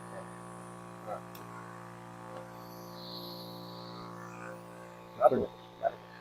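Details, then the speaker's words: Battery sprayer after a pump motor change, running with the double motor setup; a steady, even hum at constant pitch with no grinding or knocking, giving good pressure and a smooth, quiet motor. Normal running. "நல்ல ஆனால் நல்ல pressure இருக்குது, ஸ்மூத்தாக இருக்குது motor, sound இல்லை."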